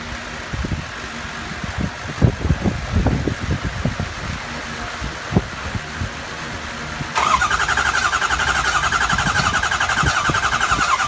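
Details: 2003 Ford 6.0 diesel with the HPOP replaced and the IPR and FICM checked OK: irregular cranking thumps for several seconds without catching, then a steady high electric whir, followed by a smell. Cranks but won't start.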